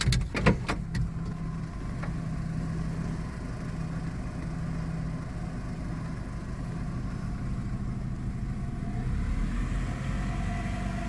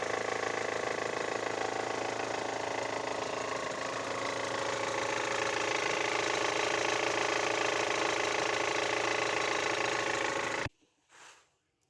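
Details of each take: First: Hover H5 petrol (Mitsubishi engine), 109,000 km, knocked 4,000 km after a timing belt kit job; the fault was a weak hydraulic timing belt tensioner. After handling clicks it settles to a quiet, even idle with no rhythmic tapping. Engine runs smoothly. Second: Great Wall Hover H5 with a Mitsubishi petrol engine, 109,000 km, about 4,000 km after a full timing belt kit replacement. Knocking at idle grows with revs and fades past 2,000 rpm, with steady ticking about three times a second. Cause: weak hydraulic timing belt tensioner.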